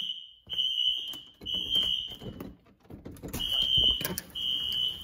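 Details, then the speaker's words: Apartment building fire alarm heard indoors; high piercing tone pulsing on and off about once a second over room noise; alarm set off by an issue with a first-floor pull station. "I don't know if I want to leave the building or not, but that noise is driving me nuts."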